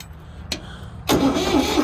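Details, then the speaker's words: Old Ford industrial tractor on an auction lot, cranked with a little throttle: a click, then slow labouring crank that never catches; starter sounds tired, weak cranking, won't start. "Oh, cranks. Not very good. Let's see. Choke. No, it's not gonna start."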